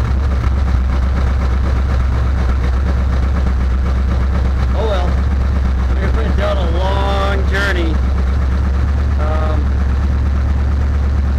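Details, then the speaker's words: Chevelle after a no-start, spark plugs cleaned and a loose ignition module connector replaced with an original GM one: deep steady rumble, smooth even idle with no misses or stumbles; running properly. "well I'm not gonna spritz it at first we'll see if she fires up"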